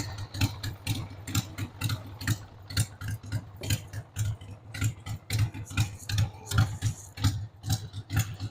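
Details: 1993 Harley-Davidson Sportster 883 Evo V-twin, stored about 15 years, just started on starting fluid with a dead battery: a rough, loping, irregular idle of about two pulses a second with ticking on top. The owner says the carb needs cleaning.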